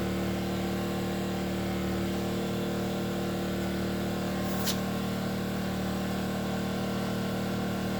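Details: Enkeeo SC2300i 2300W 79cc 4-stroke OHV inverter generator speeding up as a 1500W load on high draws about 700 to 1,070 watts: steady low hum with even tones and no surging or knocking. Normal response to load.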